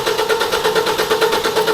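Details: 2014 Ford Focus, no start after the timing chain cover was replaced (a broken engine mount had broken it). Crank sensor replaced twice; spark, cam/crank sync and fuel pressure present. Even starter churning that never catches. Fixed by repositioning the crank pulley.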